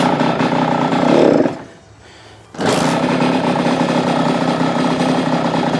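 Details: Kawasaki KX85 two-stroke on first start after a crankshaft bottom-end rebuild, on choke: high, buzzy revs with a brief dip, a crisp, thin note. Owner suspects it is slightly lean and adjusts the air screw, which was almost two turns out. Lean-sounding running.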